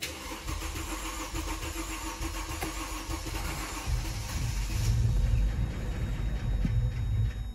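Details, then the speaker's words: Mercedes-Benz R-Class R250 petrol that cranks but won't start: starter cranks, the engine catches briefly with a rough rumble, then dies; fuel supply fault, no fuel pump sound heard, with intermittent fuel pump control loss logged. "ما لاحظنا السياره ضربه مرش دورت وطفي اصبح مشكلتنا هي هي هي بالبنزين"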